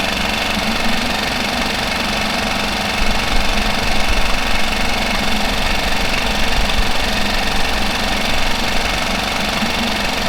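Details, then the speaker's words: Mercury 5 hp four-stroke outboard, idling steadily and evenly with a light regular patter after a fuel pump replacement meant to cure loud ticking after submersion; the decibel meter showed a slight noise drop. Normal idle. "looks like it did drop it down a little bit so it did drop it down some"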